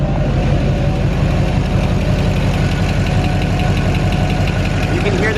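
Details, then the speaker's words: 2006–2007 Duramax diesel at idle: light, steady injector ticking over the clatter, seemingly from cylinder 8 and the other bank; injector balance rates within ±4, typical normal typewriter tick. "rejector kicking noise right there it sounds like it's coming from cylinder 8 I got one on this side too"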